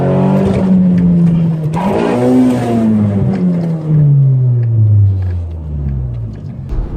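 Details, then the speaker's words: Nissan Sentra Spec V with tuned QR25DE engine (rev limiter 6,200 RPM): shifter bounced off lockout into first, clutch released, engine over-revved to 8,000 RPM; note shoots far past shift point then winds down. Owner fears engine damage, needs testing. "I released the clutch and the revs went to 8,000 RPM"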